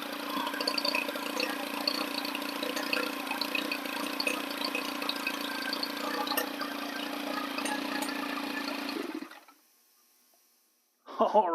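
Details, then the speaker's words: Stihl FS 110 four-stroke 4-Mix engine after crank seal replacement for an air leak, reassembled with cam plate bolts torqued; holds a steady, buzzy idle for about nine seconds with no stumbling or surging, then shuts off cleanly; running normally. "all righty guys i got her button back together and man does she run sweet"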